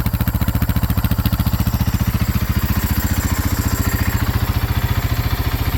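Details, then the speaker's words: 2010 Husaberg FE570 on stock muffler and exhaust, after a pinched and grounded kill-switch wire was fixed: steady, even thumping at about 3.5 beats a second with no misses, idling healthy. "okay take two now I'll fire the bike up so that you guys can hear how she runs stock Muffler complete stock exhaust"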